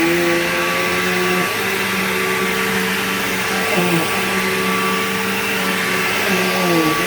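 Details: Bissell PowerGlide Platinum 3545-2 upright vacuum, acquired around 2018, running: a steady motor roar with a whiny tone on top that wavers and dips in a wah-like way. Owner calls it bizarre and does not know its cause.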